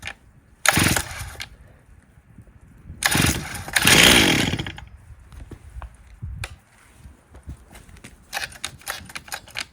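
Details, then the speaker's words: 1998 Stihl 044 Magnum chainsaw, fully rebuilt, first test run with 25-inch bar and oversized clutch: repeated cord pulls, fires, revs briefly, dies; starts too hard, owner suspects carburetor needs setting. "that saw should not start that hard so there's something going on there possibly with the carburetor"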